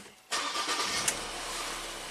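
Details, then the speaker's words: Ford EcoBoost van chasing P0106: after a short crank it catches at once and settles into a smooth, steady idle with the fuel volume control valve at 11%, a normal start. "fires right up no problem 11% on that control valve just going to slowly raise it up"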